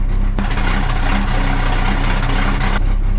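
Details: 1975 Dodge D600 auction truck just started: the engine settles straight into a steady, even low idle with no knocks or misses; runs healthy, oil pressure present.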